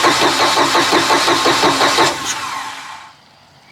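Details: Neglected 2000 Bayliner Capri 1952 with a 3.0 MerCruiser: steady rhythmic starter churning, about three turns a second, never catching; long crank with no start, likely gas not yet reaching the engine. It later started with starting fluid.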